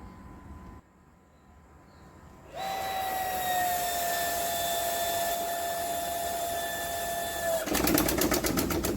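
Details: Home water supply pipework: pump kicks in with a steady whine, then a burst of rapid rattling knocks shakes the pipes; water hammer, cured by partly closing the valve to the tank rather than fitting the arrester.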